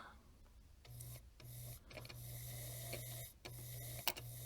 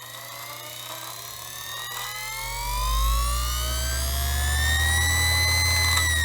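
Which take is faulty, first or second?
first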